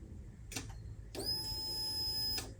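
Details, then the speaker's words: Ignition switched on, 1999 Ducati 900 SS IE: faint click then a steady high whir for about a second as the fuel pump primes normally; electrics work but the starter motor won't engage, not even a click. "You can hear the fuel pump going."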